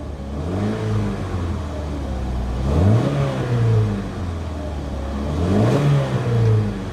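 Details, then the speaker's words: Old RV at auction, low on coolant and just jump-started: two clean throttle blips, revs rising and falling smoothly with no knocks or rattles; the engine sounds healthy. "She sounds good."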